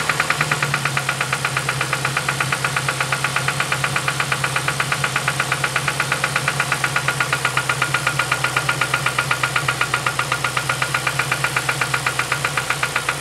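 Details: 2007 Ford Focus ZX4 ST at idle, first start in weeks after knocking began near 4500 rpm: steady sharp knock about four times a second; owner suspects rod knock.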